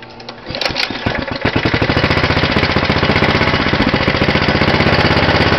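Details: Cold start of a 6hp Tecumseh horizontal-shaft go-kart engine, dirty from mudding, valve and muffler cold, on choke: catches after a couple of pulls, settles into even, rapid single-cylinder bark without knocks or misses; normal.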